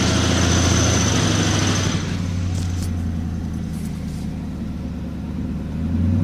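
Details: 2002 Mustang GT V8 idling after short rev: quick, fairly regular ticking about three to four per second; owner suspects manifold gasket, unconfirmed; engine ticking.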